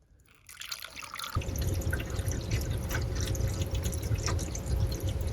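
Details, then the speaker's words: HVAC condensate drain line after clearing a stubborn clog with Drano/Liquid Plumber: a second cup of water gurgles and trickles steadily down the pipe with no backing up or sputtering, so the line is open and draining normally. "And if you listen, you can hear it. Yeah, you can hear it draining down."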